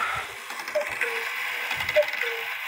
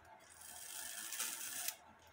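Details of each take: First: Circa-1880 Alexander Fleig cuckoo clock that stops about five minutes before the hour at warning: steady ticking with an extra sharp click nearing the half hour; warning wire spread too far, over-pressed by one minute-arbor pin, which may be bent. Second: Circa-1880 Alexander Fleig cuckoo clock that had been stopping at warning, with the movement out and a newly made, soldered wire fitted: a crisp ratcheting click and light clatter as the warning-wheel pin trips the lever into the cam. It works properly.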